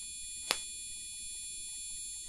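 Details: Used gaming PC with Gigabyte motherboard, heard through the motherboard speaker cable: steady high-pitched beep without a break, a click or two, while PC boots Windows 10 and runs Prime95; continuous long POST beep, cause unknown.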